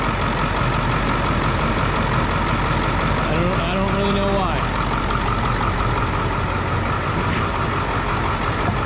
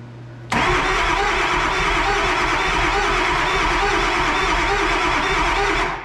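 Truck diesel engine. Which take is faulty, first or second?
second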